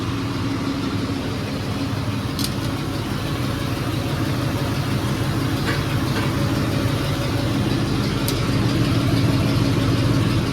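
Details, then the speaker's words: 1978 Ford truck with the choke pulled, firing on the first crank: an even, steady idle pulse about twice a second with no misses or knocks; normal idle. "Come on, baby. Come on. Whoa, did you hear that? She's a runner, she's a track star."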